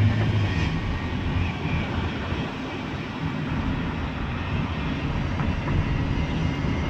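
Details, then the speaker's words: 2011 Toyota Sienna AWD driving: low droning airplane-like whine over road noise that worsens with acceleration and disappears when stopped; mechanic's stethoscope traced it to the rear differential; whine under acceleration. "so it's like an airplane was about ready to take off the more you accelerate the the worst of noise gets"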